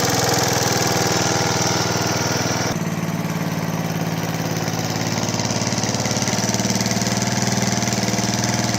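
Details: Large professional Flymo hover mower after bearing replacement, test running: steady, even pace with smooth drone and no rumble or growl from the spindle (previously very loud bearing noise); running healthy.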